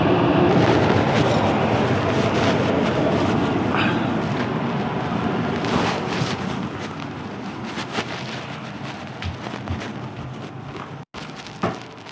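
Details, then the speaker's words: Whole-house AC outdoor condenser fan after getting it working, with the AC compressor still not kicking on: steady airy whoosh, spinning freely, no scraping or rattle; fan motor running normally. "All right, so we got the fan working, but now I need to diagnose why the AC is not kicking on."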